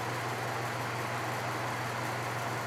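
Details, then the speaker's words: 1970s Patton U2-1272 fan with a newly installed Fasco motor replacing one that burned out in 2016, on low: soft, steady hum and an even air rush with no rattles. It draws 0.66 A against a 0.7 A rating, so it runs normally. "so that's it running on low it's pretty quiet and it has a nice strong breeze"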